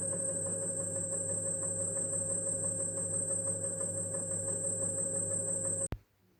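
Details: Xiaomi M365 electric scooter hub motor wheel, about 1000 km, owner had heard a knock he linked to a bearing and serviced the bearings: an even electric whine and low hum hold steady, with no grinding or clicking; the motor sounds healthy.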